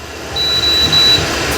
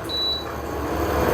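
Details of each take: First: Induction/infrared cooker: short high beeps in rapid bursts over the fan hiss as temperature and function keys are pressed quickly; rapid repeated key beeps, which may damage the cooker or its sensor. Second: Induction/infrared cooker: one short, clean, high beep from a single unhurried key press to raise the temperature, then quiet; normal key-press beep, the recommended way to adjust it.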